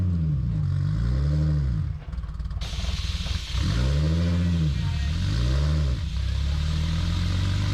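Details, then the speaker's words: A Toyota Supra engine on a dyno swells and sags in uneven surges under load instead of pulling smoothly; the owner suspects fuel starvation, and the engine later blew, pushing a wrist pin out. "then right here you can hear the car is struggling under load it's it's like you know it doesn't want to be ran hard or it's not getting enough fuel something's off"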